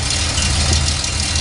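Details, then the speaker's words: 1974 Datsun 260Z inline-six with carburetors just tuned, timing set and exhaust leaks temporarily plugged: deep, slightly uneven loping idle like it has a cam, even after adding fuel; valves not yet checked. "um was idling pretty slopey like it's got a cam stupid I added some fuel to try and smooth it out but still sounds like it's coming"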